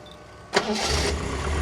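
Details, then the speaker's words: Classic car, recently given an oil change and full filter service, which runs lovely: brief crank, clean catch, then a smooth, even idle settling straight away with no stumbles. "I'll change the oil and serviced it, all the filters, and it runs like a new pin. It runs lovely."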